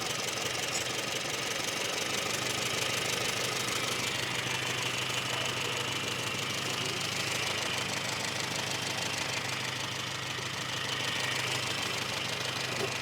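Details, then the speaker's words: Small four-cylinder with HS2 carburettor, air cleaner off and analyzer connected: steady, even idle with no hunting, though the tuner finds it slightly too lean for its ignition system before adjusting. "So, I've just got it sitting there idling away. Yeah, it's a little bit um it's a little bit too lean for this ignition system."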